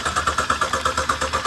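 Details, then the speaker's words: 2008 BMW 323i with codes P0012/P0015 cranks with an even chug, about seven beats a second, without firing, after new Amazon cam sensors; owner suspects the sensors are defective or sporadic and the engine isn't getting fuel. "I think these two are defective because clearly this thing doesn't know it's rolling over cuz if this thing knew it was rolling over right now I don't think she's even getting fuel um so I think those things are sporadic cuz you can hear it kind of wanting to start"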